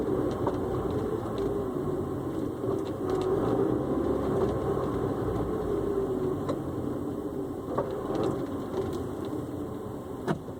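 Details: Honda S2000 running: sharp clunks landing irregularly every second or so over the steady engine; something knocking loose, source unclear.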